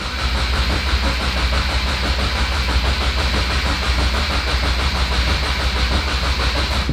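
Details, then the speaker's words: 2023 Subaru WRX with FA24 engine after a Perrin oil cooler install, cranked again at full throttle with clutch in to prime oil pressure before checking for leaks; even starter churn with regular compression pulses, never catching, normal priming crank. "I'm gonna hold the throttle 100%, clutch all the way in, and we're just gonna crank it. We're gonna do it again."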